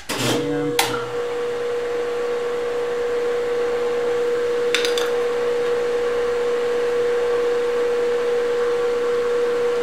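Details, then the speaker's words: Boring the tailstock bore of a Grizzly G0776 lathe: clean steady tone near 500 Hz after a couple of knocks, oil smoking; steady boring cut. "and way to go and you know it steady cuz it's making the oil smoke"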